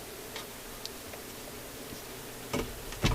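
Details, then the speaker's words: General Electric C-411 radio-phonograph changer after mechanism maintenance: faint irregular ticks, then two heavier clunks; the changer mechanism stays permanently engaged and keeps cycling without releasing, so the record never plays; cause unknown. "well we didn't quite get a chance to even hear this thing play on the record because the mechanism is just permanently engaged so i think it's time for a disengagement"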